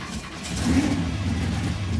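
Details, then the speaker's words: 1967 Pontiac Firebird V8 with brand-new battery but old corroded battery cables, after slow cranking raised fear of dying battery or seizing engine. Quick crank catches and settles into firm, even idle; starting now healthy. "They're all corroded and just basically junk. So give it a shot. Oh, that's better."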